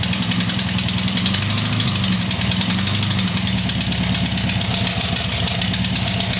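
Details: Tiger-1 engine after rebuild: steady, even idle with busy mechanical clatter on top, no misses or stumbles; normal running.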